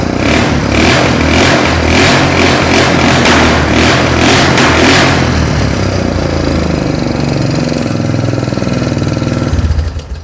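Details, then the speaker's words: Old Mule UTV with an HMF exhaust: very loud, raspy bark through a few blips, then a lumpy idle before shutoff. Excessively loud exhaust; the muffler apparently has no packing left. "I ain't going to lie, my neighbor's grandma probably could hear that from her grave. It is loud. I guess that that HMF has zero packing left in it."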